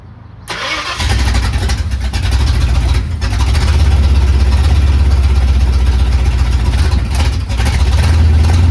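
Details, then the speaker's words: Carbureted Ford Capri project, first start: fires and catches, then a deep, lumpy, hunting idle that never settles; runs rough, later traced to a 3.5 PSI fuel pump when the carburetor wants about 6 PSI. "It's running. It's moving, but it does not sound too happy, does it? It sounds pretty rough. Just got the car running. It's running pretty bad."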